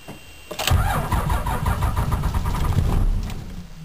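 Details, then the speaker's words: Dodge Ram Cummins diesel cold crank: steady cranking, stumbling near-fires with uneven chuffs but never runs; hard cold start, cause not confirmed. "ah she almost wants to come on Bruce you can do it lad"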